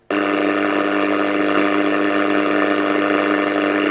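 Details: Unrestored Bush VHF70 Bakelite valve radio from about 1955, switched on for the first time in decades: a steady high whistle sits over the hum throughout, and tuning drifts as it heats. Heterodyne whistle, cause unknown.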